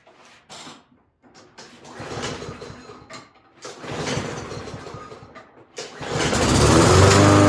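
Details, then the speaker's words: Toro walk-behind lawn mower after spring tune-up; small engine catches after a couple of pulls and settles into steady, even buzz with no misses, healthy, being run to check the drive. "Okay, it's ready to go for spring. I'm gonna start it up here, run it, make sure the drive works."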